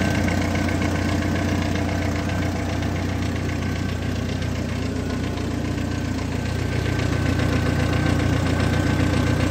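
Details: 2002 Jeep Wrangler four-cylinder idling steadily with a light, regular tick of nearly four per second, recently noticed from the front of the engine bay.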